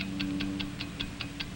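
Crisp, even ticks about five per second, perfectly regular with a faint hum beneath; a healthy watch movement running steadily.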